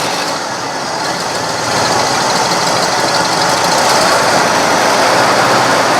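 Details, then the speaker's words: 1970 Cadillac Sedan DeVille from a junkyard after new cap, plugs and wires: uneven, lumpy idle with a ragged pulse near four beats a second; rough running, sounds leaning out, owner suspects dirt in a carburetor jet. "does not sound better I don't think that's better at all sounds like it leaning out"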